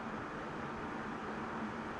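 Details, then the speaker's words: Split indoor AC unit after fan motor bearings were replaced and unit cleaned and reassembled: steady, even airflow whoosh with a faint low hum, bearing noise gone, repair a success. "the bearing noise is gone. So it's a success."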